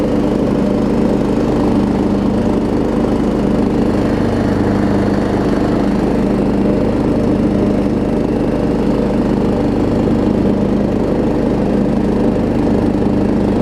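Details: Troy Bilt Pony riding mower after its no-start was fixed (loose starter solenoid connection, new battery), with new blades: loud, steady drone at even speed with blades engaged, no misses or knocks; normal running under load.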